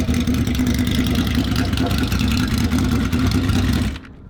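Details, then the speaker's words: Turbocharged Honda VFR800 (Temu turbo) with replacement throttle bodies fitted, no warning lights: runs ragged with a stumbling beat, then splutters and dies after about four seconds; spark plugs may have some oil. Cuts out when too much throttle is applied. "It kind of sounds like it's okay, but once you apply too much throttle, it's not interested. It will just cut out, it will splutter."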